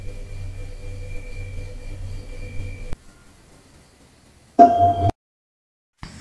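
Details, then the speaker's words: Refrigerator compressor cycling: a ping as compressor starts, low steady hum while running, then a soft clunk as it cuts out; normal fridge sounds, nothing loose or rattling. "ভিডিওর শুরুতে তিনটি sound শুনলেন প্রথম সাউন্ডটি টং compressor on sound মাঝখানে যেই compressor চালু চলতেছে শেষেরটি টং কম্প্রেসর অফের সাউন্ড এই তিনটি ফ্রিজের স্বাভাবিক সাউন্ড"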